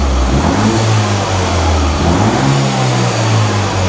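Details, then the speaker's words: Peugeot RCZ-R after rocker cover gasket replacement and service, no more oil leaks: clean throttle blips rising and falling smoothly with no knocks, rattles or misfires; engine revs freely and sounds healthy. "sounds great so we're getting there with this car now"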